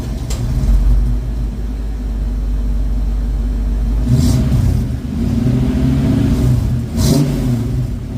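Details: 1972 Ford Mach 1 V8 with stock cam, restored, about 200 km driven, coolant just topped up; deep even idle with clean crisp throttle blips, smooth and steady, docile but runs nice.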